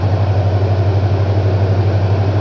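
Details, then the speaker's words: 1970 Chevrolet C10 with 350 Chevy V8 that probably sat about 20 years, cold start on choke after replacing a badly worn timing chain and setting timing: steady even idle, previous tapping noise gone. "sounds good though tapping noise is already gone"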